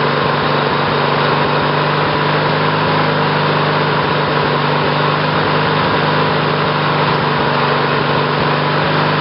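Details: Briggs & Stratton 18 hp twin vertical-shaft engine (model 822707), first run on new battery ignition with GM LS2 coils triggered by failed magneto; settles into steady fast even buzzing run; new ignition seems to work.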